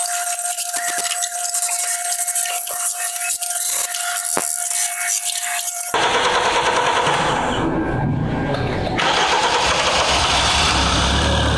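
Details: Kia Sportage G4KD engine, 97,000 km, after overhaul for cold knocking from scored cylinders (worst in cylinder three): after a thin tonal opening the petrol engine starts and settles into a steady, even idle.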